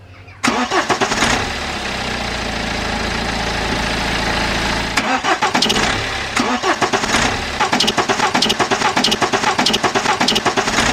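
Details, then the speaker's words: BMW N47 diesel startup after alternator replacement: catches quickly and settles into an even idle, the brief squeak/chirp heard as the engine first turned over is now gone; cause was the old alternator, not belt or tensioner. "so as you all just heard the squeak on startup is now gone"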